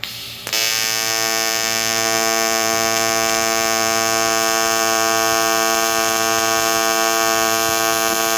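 Arc strikes and settles into a steady, even high buzz with no crackle or sputter, a clean stable AC arc on aluminium.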